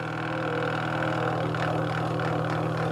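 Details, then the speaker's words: LG ventless washer/dryer not draining: constant low droning hum with a rough buzzing edge, no change; worn drain pump needs replacing. "it's time for the pump to unfortunately be replaced and like I said hopefully third times the charm"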